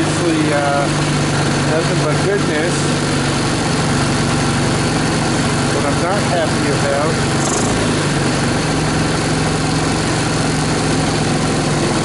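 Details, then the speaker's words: 2014 Linhai Big Horn 400 UTV, single-cylinder, restarted after dying: spark plug changed, wiring rearranged, portable 12V CDI ignition fitted, temporary gas tank, air cleaner off, battery not charging; lumpy uneven idle, runs rough and fussy, still needs tuning. "she seems to be fussy um this has been my experience with these uh Chinese guys they they seem to a lot of need a lot of tinkering a lot of love to be uh successful and to function properly"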